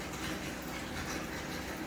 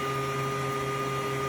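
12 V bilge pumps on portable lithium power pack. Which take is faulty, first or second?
second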